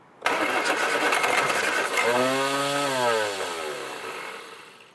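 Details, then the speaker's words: Slow cranking from worn starter motor on a rare Mk1 Austin Mini barn find: sluggish churn about four beats a second with a sagging whine, no catch, after an earlier splutter on a little throttle; starter showing its age. "starter motor is uh showing its age now"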